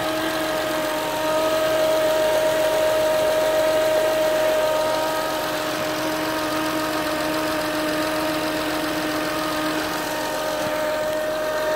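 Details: 2007 Acura TL Type S petrol engine idling with a steady mid-pitched whine holding pitch with small swells in level.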